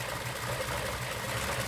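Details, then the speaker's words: 1941 Ford Super Deluxe Business Coupe flathead, oil bath air cleaner, in neutral with electric fuel pump on: soft, even, very quiet idle with low steady pulse and no knocks or ticks; runs well. "turn on little fuel pump and she's running it's so quiet I never knew that flatheads were so quiet"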